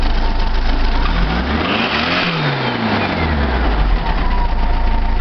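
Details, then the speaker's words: VW 1904cc engine, stock cam, 042 ported heads, 8.7:1 compression, modified Solex 34 PICT-3 carb, vacuum-advance distributor at 8° idle: idles about 800 rpm and climbs and drops cleanly on a throttle blip with no stumble or pops; smooth throttle response. "let me start up the engine so you guys can hear it run look at that RPM is like 800 smooth I mean that is smooth"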